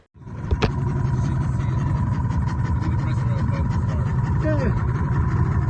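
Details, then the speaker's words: Yamaha HPDI 250HP outboard after replacing both propeller shaft seals and injector filter baskets: steady, even drone with no misses, surges or knocks, no bubbles; normal running. "Yeah, there is no bubble. There is no bubble. Running pretty smooth."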